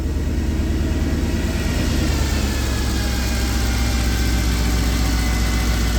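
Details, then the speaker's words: Mercedes E63 AMG V8 that broke down with bank 1 misfires, restarted after codes were cleared and timing and cam lobes checked, in a New Hampshire winter: deep, steady V8 burble easing to a lower, even idle with no obvious stumble; normal idle. "Other than that, sounds normal, but that's nothing new either. Sounds just as good as ever."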